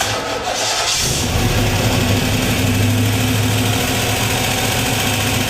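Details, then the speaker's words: 1965 Chevelle V8 first start after engine break-in on Royal Purple break-in oil and new aluminum radiator: cranks, fires, deep rumble with light rocker arm clicking signaling need for valve adjustment. "once it lit off you could hear the rocker arms clicking signaling their need for adjustment"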